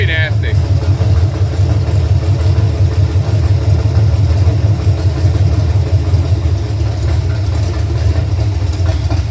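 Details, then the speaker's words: V8 with new rockers, lifters, pushrods, intake and headers, valve adjustment just done, valve cover off; deep steady idle with mild lope, no knocks or ticks, sounds like a pulling truck. Normal healthy idle. "nasty. Sounds like a pulling truck."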